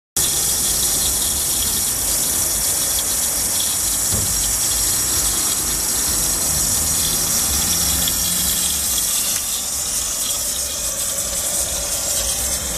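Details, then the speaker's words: Water pump beside a house, recorded near the pipes and pump: steady loud rushing hiss over a low constant rumble, disturbing; louder when taps across town are closed and worst after 11 pm; cause unclear. "الظاهر انه في صوت عالي ومزعج ايضا هذا الصوت كيف بنسمع اسه في هي الحاله هذا بطيء جدا عندما تسكر كل الحنفيات بالبلد بنسمع الصوت بشكل اقوى من هيك"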